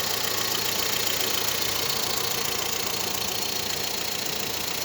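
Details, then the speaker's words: VW Saveiro idling after the timing belt was refitted and tensioned correctly with no remaining slack; the earlier drone is gone. Steady, even idle with a hissy top end and no rattle, chirp or knock. "o finalizar a montagem aqui correr quadrática a correia asinha tá apertado no na medida certa e não tem mais folga E ai ai E aí um filezinho de rodando normal"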